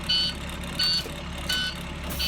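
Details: International DT466 MaxxForce diesel in a Blue Bird school bus idling after fuel injector cleaner through the intake cleared a clogged DPF; short high-pitched buzzer bursts about every 0.7 s are the open rear-door warning.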